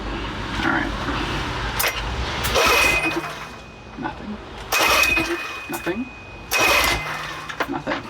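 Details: Sea King 6 hp outboard during repair, carb primed, idle mixture screws set: three pull-cord whirs a couple of seconds apart, each dying with no firing; turns over but won't catch, fuel reaching it, possibly too much.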